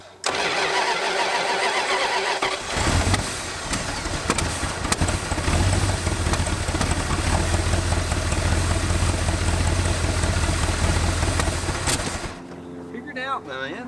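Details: 1986 Dodge Diplomat police car parked 25 years, running without thermostat, coolant leaking, timing being advanced: engine catches after cranking and runs loud and uneven, surging and stumbling; hard starting, rough running.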